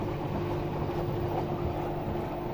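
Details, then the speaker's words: 2014 front-loading washing machine after repair of foreign noise (something catching the drum, not the heater), reassembled and tested: smooth steady low hum, no knocks, scraping or rattles, no leaks found; repair complete. "собрал поставил на проверку посторонних шумов не обнаружено четырнадцатый год выпуска протечки не обнаружены значит всё вышло"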